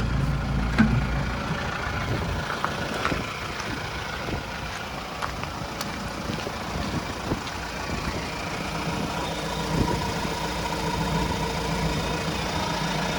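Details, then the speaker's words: 2018 Mahindra Roxor diesel, started after a long fuel-pump prime with clutch in: steady diesel clatter at idle with an even rhythm and occasional faint ticks, nothing irregular; normal healthy idle. "Okay, clutch in, and it starts right up. That's one thing I love about the Roxor."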